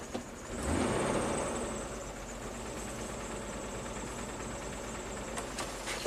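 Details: 2001 Jeep Wrangler 4.0L on its second engine at 379k miles, running badly at idle and under acceleration despite new plugs and coil pack. Uneven, lumpy, thumping idle, worse in Drive; one cylinder is dead from low compression at a leaking exhaust valve.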